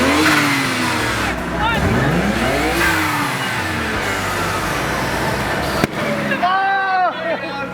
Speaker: usable your engine it seems to be running just fine up right now